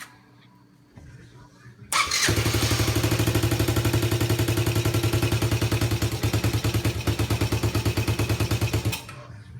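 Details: Yamaha Badger 80 Moto 4 first start after a top-end rebuild with new valves (the intake valve was badly worn and a ring was stuck): quiet, then it fires into a brisk, even single-cylinder putter; runs cleanly, idle slightly unsettled.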